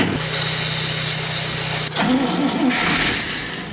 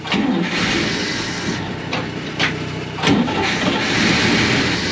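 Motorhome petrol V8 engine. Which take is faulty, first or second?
first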